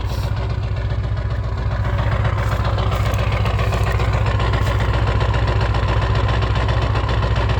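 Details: 1996 Ford 7.3 Powerstroke diesel, 292k, on a cold start at 18°F. It has loud, heavy clatter with an uneven knock about 220 a minute and smokes until warm; it runs fine warm. Owner suspects misfiring or bad injectors; new o-rings and cups 1600 mi ago.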